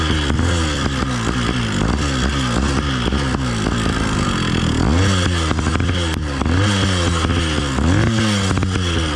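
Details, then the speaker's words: Replacement Phantom 85 two-stroke motorized bike during break-in, 32:1 full synthetic, ceramic-lined cylinder: rough metallic rattle over buzzy engine as it revs and surges; rider first suspected rich running or timing, cause was engine mount. "for those of you with good ears you're correct that's a rough sounding rattle and this was driving me crazy for the first two days which i couldn't even figure out until i was at the campsite examining the bike closely"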